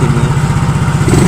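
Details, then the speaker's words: Yamaha Mio Soul GT fuel-injected scooter after readjusting the idle via the throttle-stop bolt and 8mm nut: steady, even low thump at a settled speed, no hunting or stalling; idle back to normal. "tinggal disetel aja itu sudah normal ya ini sudah kembali normal tadi udah gede gitu ya guys"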